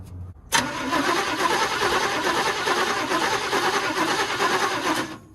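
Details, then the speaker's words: 1962 Chevy short-bed pickup, parked 20 years, cranking after chewed plug wires were found; the spark is confirmed. About five seconds of steady, even cranking never catches; no start from lack of fuel. "we've got spark so man this thing's actually pretty close to possibly firing up if I put a different carburetor on on it"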